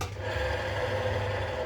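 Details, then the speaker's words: Yamaha Mio scooter CVT inspection: a hand-spun bearing gives a continuous gritty, scratchy rasp instead of a smooth whir; the bearing is worn and damaged. "Terdengar bunyi kasar harusnya ser kayak gitu. Ini apa srek gitu."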